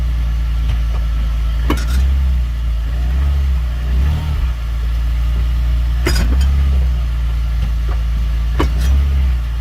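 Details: BMW E46 328Ci: a single sharp clunk from the rear over low engine rumble, only when shifting between forward and reverse, not when repeating the same direction.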